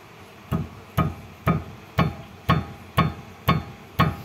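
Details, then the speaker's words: Mitsubishi Xpander steering rack tapped from the left side. Eight dull metallic knocks about two per second match the "klutuk" noise from the front wheels. Steering rack judged faulty and replaced with a new one. "bunyinya ya Ting Ting Ting Ting Ting Ting seperti itu dan ini menurut saya dapat dipastikan rak setirnya bagian"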